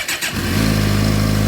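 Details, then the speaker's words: 2007 Suzuki GSX-R600 after CDI/ECU replacement, started on jumper cables, owner suspects failing stator: brief crank, fires at once, holds smooth even idle, slight clicking at startup; normal start. "we like the clickers a little bit when I started up but let's disconnect the cables"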